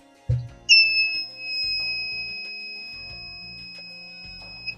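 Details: ESP32 sensor setup: a single piercing high beep held about four seconds as the buzzer sounds on detecting an object (a phone case) with signal below 1000, working as intended.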